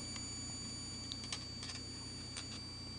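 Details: Joule thief circuit on a small salvaged toroid, lighting a CFL from a roughly 1.3 V battery. A steady high-pitched oscillator whine holds throughout, with a few faint handling clicks; running normally.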